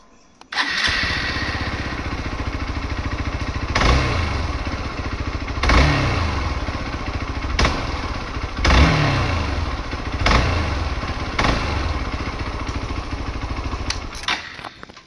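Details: Hero Xpulse 200 4V single-cylinder bike starting and idling roughly with a heavy knock under repeated throttle blips: failed engine balancer shaft, a common fault within 10,000 km, replaced under warranty.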